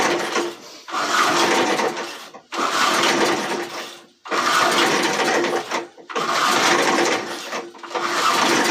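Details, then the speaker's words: Old JC Penney high-wheel 4 hp 22-inch push mower, original engine: repeated rough bursts about every 1.5 seconds, never running steadily; hard starting blamed on a junk carburetor, gas tank leaking. "all right so that takes a lot to crank something like that so now we're in a bit of a pickle because we got a lawn mower with a junk carburetor"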